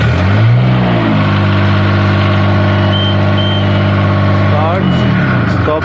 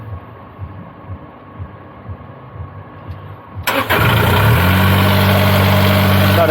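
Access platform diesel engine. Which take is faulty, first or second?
second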